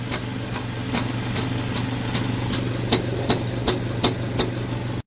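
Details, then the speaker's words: 2015 Jeep Cherokee idling, heard under the vehicle on a lift: sharp metallic taps about three a second from a loose exhaust flex pipe; motor mount also worn; earlier wheel bearing replacement hadn't cured it. "so now as we walk up under here I start smacking stuff and you can see right here this flex pipe is just kind of moving"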